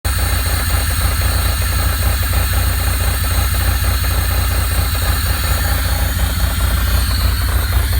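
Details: 2.8L Pontiac Fiero engine warm at idle: deep rumble with a loose, uneven knock about twice a second; knock develops when warm, cause unknown.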